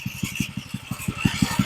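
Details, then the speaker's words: Old edger just fitted with a replacement for its blown motor, started on full choke: even firing pulses about six a second, a low steady beat with no rattle. The small single idles smoothly and low. "This sounds pretty good. I love it when something will idle that low. Well, she starts good, she runs good."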